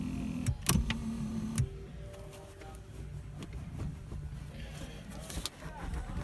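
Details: 2000 Dodge Dakota quad cab power driver's seat after the fix for its back-and-forth clunk: quiet motor hum as the seat travels, no clunk on moving or stopping; track runs smoothly.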